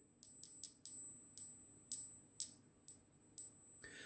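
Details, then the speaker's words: Brass engine-block freeze (water) plug tapped by hand: a sharp, clear, high ringing tone about twice a second, rings because brass is harder. Iron plugs give a duller sound, and brass is non-magnetic, so a magnet test tells them apart. "Bakır ve çinkoonun karışımıyla elde edilir. Bakın biraz daha sert olduğu için sesi de daha çınlayıcı olarak gelir."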